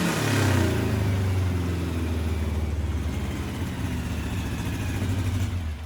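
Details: 1641cc air-cooled engine with a counterbalanced crankshaft on Weber IDF 44 carburetors, electronic pickup ignition and no MSD: a deep, crisp rev that falls back evenly with a steady throb, no knocks or misses. Healthy, well-tuned running.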